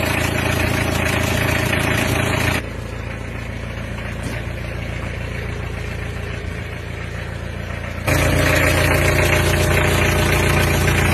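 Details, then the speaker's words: Mitsubishi L300 diesel van just after an engine overhaul, started the previous day and being run in before adjustment: steady diesel idle with an even low chug and no knocks; a remaining puffing sound is suspected to come from the air filter or exhaust. "Ini masih kedengaran suara bek-beknya, kalau nggak filter udara ya knalpot."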